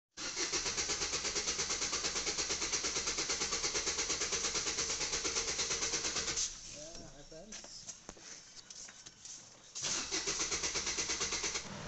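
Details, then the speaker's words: Maruti Vitara Brezza diesel with long, sometimes instant starting and engine noise: steady cranking about three turns a second for six seconds without firing, pause, more cranking; cause a stretched timing chain. "तो यही problem सी गाड़ी की जीत जो घृणित इसका seat के बीच centre का वह को डाल रहा था और लॉन्ग स्टार्टिंग थी और आवाज टाइमिंग चैन की थी"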